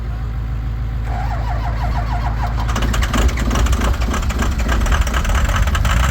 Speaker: If it starts running, let off the starter and just mat it to the wood. Give her. Let it run on the starter a little bit, but once you hear it start taking. Oh, come on, baby, start.